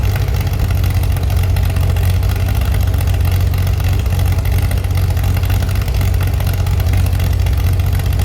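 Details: Chevy SS under restoration, engine restarted after the owner lowered the fuel level to fix a mistake; it has a non-original cam. Deep, steady idle that stays even throughout, no misses, knocks or hunting: smooth, healthy idle.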